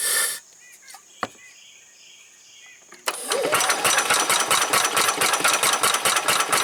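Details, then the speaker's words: 1990 Club Car golf cart engine, on a nearly dead battery cranking slowly, with a new spark plug tried: a rough chuffing beat about twice a second, firing a few times but never running. Owner suspects the wrong replacement carburetor and a fuel pump not filling the filter. "well I finally got it to fire a few times"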